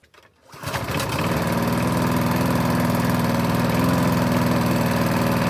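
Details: 1988 Alco push mower, Briggs and Stratton auto-choke engine, after service with new blade: starts in under a second, settles into a steady four-stroke beat about four pulses a second, no misses; normal running.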